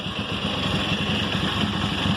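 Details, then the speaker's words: 2005 Honda CBR1000RR after rectifier, stator and spark plug replacement; ragged, stumbling idle that hunts and won't settle, still misfiring at idle; water was found in the fuel tank and injectors, clogged fuel injectors suspected. "so as you can see we still have a misfire and uh the bike is wanting to idle on its own it's just um [Music] once it uh you can hear where it's misfiring and stuff"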